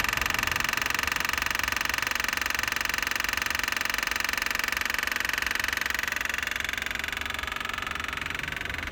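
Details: Constant rapid, even clicking, about four a second, from a faulty headlight leveling motor behind the headlight, found by touch with the front bumper partly removed; fixed by replacing the motor.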